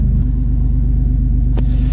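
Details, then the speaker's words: Toyota 4Runner after new ignition coils cured P0300 misfire; deep even idle rumble with regular firing pulses, no stumble or skips; no stored codes afterward; idling smoothly. "dropping gear one more time oh I love it nice and smooth"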